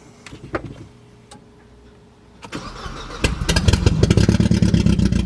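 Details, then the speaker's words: Budget Mercedes-Benz project car with no exhaust fitted: quiet crank, then catches and idles with an uneven stumbling beat, running on three cylinders; a visibly damaged coil pack was found. "all right so we're we're on three cylinders let's check it out all right guys so I think we found our problem what do you think looks like a pretty damaged coil pack there"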